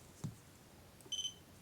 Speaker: quindi un volt ho tre bip. Sentite, sono tre vicini, si capiscono molto bene. La differenza tra i tre bip è molto chiara, è fatta molto bene